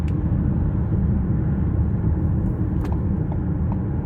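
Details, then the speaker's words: 2018 Ford Escape 1.5L (leaking transmission fluid) under full-throttle acceleration up an interstate on-ramp, stressing the front pump: deep, steady road rumble with no tone climbing with speed, no pump whine; transmission is fine. "So far, I have not felt any or heard any pump whine."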